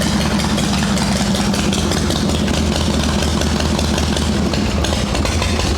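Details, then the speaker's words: Shovelhead V-twin chopper running cold on choke after rain soaked the ignition; worn plug wire end caps suspected, points and condenser not needed. Low, loping idle runs on steadily without misses or sputters; healthy. "That is definitely not needed. She's still healthy. Obviously, it's not warm enough for no choke yet, but whatever."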